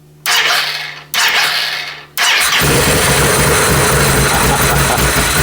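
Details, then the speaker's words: Can-Am UTV with electrical faults that dealers couldn't fix: two short cranking bursts, then it catches and settles into a lumpy, uneven idle after rescanning. Runs rough, smells of gas, cause unknown. "it runs like but it runs watch that doesn't run very good but it's running"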